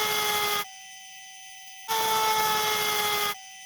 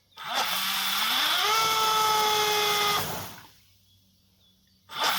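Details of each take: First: RC 1800 KV motor with pump connected as load; two bursts of high electric whine at steady pitch with silence between, RPM lower than the unloaded spin; normal motor speed drop under load. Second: RC 1800 KV motor on a single battery, pulling too many amps; whine climbs and holds, then drops out abruptly twice; ESC low-voltage cutoff under high current, fix is a second battery in parallel.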